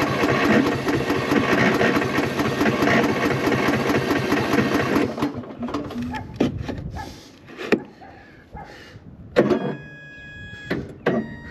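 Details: Cub Cadet lawn tractor with corroded battery terminals and a 12.17 V battery; gas on, brake set. Starter cranks for about five seconds but it never fires. Owner suspects the battery is finished.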